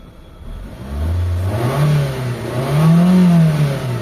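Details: Mitsubishi Lancer after camshaft sensor install and MAP sensor socket replacement; idle raised, check engine light gone: engine lifts cleanly from steady idle through two smooth rev blips, no stumbling; running healthy.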